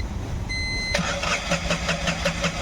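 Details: Tata Ace Gold BS6 diesel: short warning beep, then steady cranking at about five beats a second that never catches; scan shows crank sensor fault P0335-31 from chewed-through crank sensor wiring.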